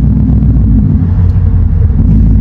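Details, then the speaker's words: Coyote V8 Mustang just switched to an E85 tune; deep, lumpy idle wavering unevenly, owner suspects a large vacuum leak as short-term fuel trims read about 29. "as you can hear the car is Island still funny so we got a huge huge vacuum leak somewhere"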